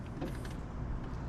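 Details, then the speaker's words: 2003 Jeep Grand Cherokee passenger-side window, before regulator replacement: low motor drone straining while glass barely moves, jammed; motor works but regulator, thought to be a plastic cable drive, is broken, blamed on Arizona heat and cold. "Oh. Oh, she is jammed up. I can hear the motor actually working. You can hear it switching positions. These, if I remember right, are a cable drive."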